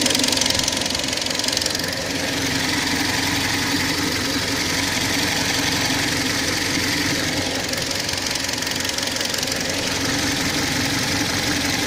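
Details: Kia Sportage III engine running: steady, fairly regular knock about four per second over the engine noise; strange knock, cause unknown.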